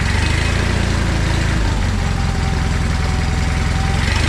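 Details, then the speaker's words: John Deere 317 lawn tractor just after engine reassembly, starting with no fuel in the filter at first, then idling with the choke off: steady, smooth low thrumming with no misses or knocks. Runs fine. "so well that's great news it runs and everything"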